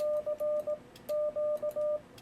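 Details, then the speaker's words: Yaesu FTdx10 sending CW at 18 wpm with break-in delay too short: steady ~600 Hz Morse tone with a sharp relay click in each gap between characters; relay chatter, fixed by raising delay to about 500. "but you still hear it click if i leave a little space there so i'm going to go back in there and set my break-in delay"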